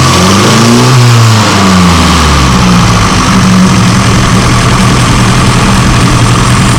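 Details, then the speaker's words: Classic car with SU carburettor, throttle blips: loud even running, revs swelling and falling, steady intake hiss; normal running with throttle blips. "when I'm blip the throttle you'll see the should see the Piston rise and you'll see it lagging slightly um and then it it catches up as the engine speed picks up"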